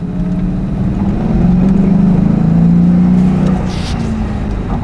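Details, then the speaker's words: 2001 Ford Mustang GT after fixing a high idle that used to hang at 3,000 rpm; revved to high rpm then shifted into neutral with A/C on; revs fall back and settle to steady idle around 1,000 rpm, no longer hanging. "hopefully it goes back down to one but I mean it's it's pretty much fixed I mean we have been driving it for the past 2 days it hasn't happened again once"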